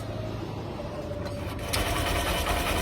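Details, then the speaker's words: Honda SP Shine BS6 motorcycle at start-up: fast dry chirping rattle with small catches over idle, also heard when switching off; timing chain noise. "दोस्तों अगर आपने अच्छे से sound को नहीं सुन सका तो मैं आपको बताना जा रहा हूं यह साउंड आ रही है टाइमिंग चैन की"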